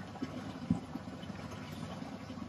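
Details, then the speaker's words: Aquarium tank plumbing after a leaking joint was resealed with underwater putty, flow back at about 1100–1150 L/h: soft, irregular low bubbling and gurgling with one louder glug from the Bean Animal overflow drain after the pressure change; gate valve needs retuning. "and don't mind that noise that will just be um some overflow that needs to be now tuned up in the drain as a result of the pressure change"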